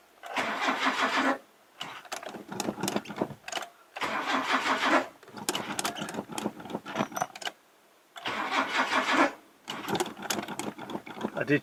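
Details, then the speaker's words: Classic Mazda sitting over 10 years, first start attempt: repeated second-long cranking bursts with a few stumbling catches that never run; cranks but won't start, owner suspects flooding or hydraulic lock from too much fuel, oil checked. "i think it's just hydraulic hydraulically locked but anyway i'm not going to invest too much time in it we sort of it does want to run i think it's just hydraulically locked because i've poured like 10 000 liters of fuel down the car"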